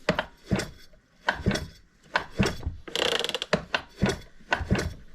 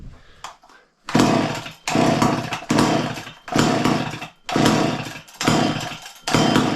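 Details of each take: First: Old McCulloch Mac 610 chainsaw from a garage sale, untouched as bought, slow hand pulls: steady ratcheting tick with even puffs each stroke; compression fair. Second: Garage-sale two-stroke chainsaw, fuel poured in, about eight hard pulls under a second apart; each gives brief pops that never catch. Owner unsure, maybe too much fuel. Fires but won't start.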